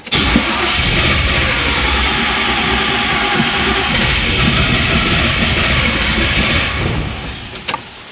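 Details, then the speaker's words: Monte Carlo with a newly installed engine, first start fed a little gas: loud, rough running for about seven seconds, then it dies and won't idle. A fuel delivery problem, likely fuel starvation. "Well, we have a fuel system issue. Fuel fuel delivery issue. Fuel something issue."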